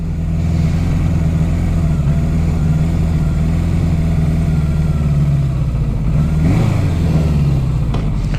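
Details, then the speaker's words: 1982 Suzuki GS750T inline four, cold start on choke with low battery; low, slightly uneven idle with odd flutter, very cold-blooded, won't run right until hot, later sounds lean; rough running when cold. "I'm going to leave it joke on a little bit till it warms up it is kind of a it's very cold blooded like it doesn't run right until it's"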